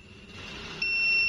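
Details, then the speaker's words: Android set-top box dead, after removing SMD electrolytic capacitor and retesting: faint tone then steady high continuity beep, sounding different from before, judged normal capacitor behaviour, capacitor good. "Tapi ini bunyinya sudah berbeda. Tuh. Ini bunyinya udah berbeda. Tuh. Ini berarti udah bagus."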